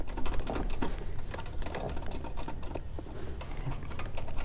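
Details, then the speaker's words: BMW 335is, 100,000 miles, Mitsubishi turbo: loose, irregular metallic jingling like loose change as the wastegate arm is moved by hand in every direction; worn, rattling turbo wastegate linkage. "If you can't hear it, it sounds like a bunch of loose change. And it goes up, down, every direction."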